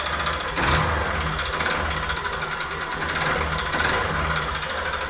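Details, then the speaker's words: Honda Fan 125, 2010, bored to 150cc: steady light tapping at idle that keeps pace with engine speed. Teardown found a connecting rod (big-end) problem. "já descobrir o que que é esse motor aí esse probleminha no motor vamos dar continuidade aqui a desmontagem desse motor é problema em biela"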